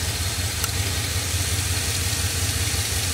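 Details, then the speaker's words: 2002 Chevrolet Silverado 2500HD 4x4 6.0L gasoline V8 with P0300 random misfire and P0332 codes: steady idle with an uneven low thump, no change when one coil is unplugged, so that cylinder is dead and its ignition coil has failed. "no change that is the culprit right there so what that means is that this device here is malfunctioning i'm gonna have to replace that"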